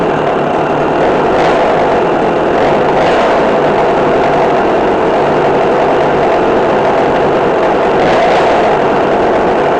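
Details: McCulloch Mac3216 32cc chainsaw with 16-inch bar, after carburetor adjustment (1/4 turn in, idle adjusted). A steady, high two-stroke buzz holds even with no surging or stumbling; running cleanly.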